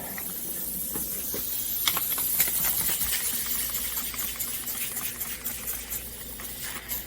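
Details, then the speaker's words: Suzuki Samurai tire being aired up: sharp continuous hiss with faint bubbly crackle; air leaking from the tire bead at the rim. "okay well that noise you're hearing is not coming from there coming out of the freaking bead"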